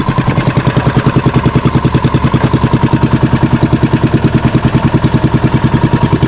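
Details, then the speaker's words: Fishing boat (bangka) engine after fixing a misfire and securing the shaft: even steady thumping about 200 beats a minute, no misses or knocks; running smoothly, shaft alignment praised. "Walang kapalag-palag mga baka maganda yung tining ng ano niya ng ehe."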